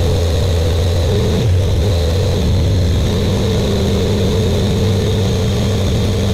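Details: Buick Grand National freshly rebuilt engine, first start during cam break-in, run for 10 minutes, no thermostat: steady, even fast idle around two thousand rpm with a deep exhaust drone, no misses or knocks; good oil pressure, warming up.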